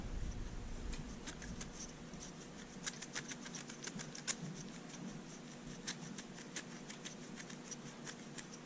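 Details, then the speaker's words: Truck serpentine-belt idler pulley spun by hand, compared with a good free, quiet one: this one is super tight and crunchy, with faint uneven gritty ticks and scratches. Worn, dry idler bearing, garbage, needs replacing. "On the other hand, this one here, super tight. You can see my finger, it doesn't want to rotate. And it's crunchy."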